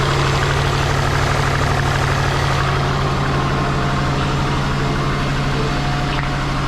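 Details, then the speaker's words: Twin-turbo Subaru Forester at idle during injector tuning, number 1 injector confirmed working: deep idle with an uneven, lumpy pulse of about three beats a second, sounding like it runs on three cylinders, a suspected misfire; slightly better after restart. "It does sound like it's running on 3, so let's start it up and see how we go."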